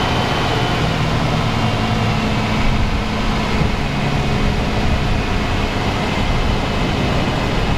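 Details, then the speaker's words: 2012 Nissan Sentra after misfire repair (had run rough and misfired, oil a quart overfull), intake manifold bolt refitted, engine cover on: even, smooth idle with steady low rumble, no stumble or skip, firing on all cylinders; purring like a fine Swiss timepiece. "Wow, you guys hear that? Thing is purring like a fine Swiss timepiece. Best running Nissan Sentra I've worked on all day."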